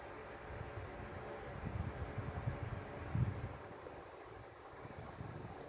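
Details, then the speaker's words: Sanyo desk fan after reworking the stiff rubber-caged motor bushing, on speed 1: only a soft low airy whoosh with no rattle, tick or grind; normal quiet running. "It is just delightfully quiet. I can't believe it."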